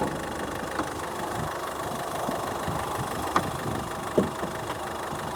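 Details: 2006 Mazda 3 (BK) 1.6 diesel on rough road: sharp metallic clicks and creaks from the left strut area over engine and road rumble; strut and bearing already replaced, owner suspects inner CV joint.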